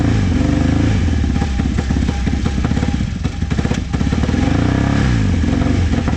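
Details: Vintage motorcycle from a trailer batch, started with starting fluid. It stays alive only on throttle, with revs surging and sagging and never settling into an idle. Owner suspects the idle jets and says the carbs need cleaning.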